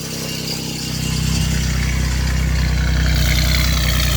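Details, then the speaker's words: 1989 Chevrolet Celebrity 2.8 V6, three-speed automatic, new exhaust, crankcase vent capped due to vacuum leak: engine settles into an even, steady idle with no misses or stumbles; smooth before it later misfires, cause unknown. "as smooth as ever [Music] the most healthiest 2.8 i've ever seen ever had going smooth now"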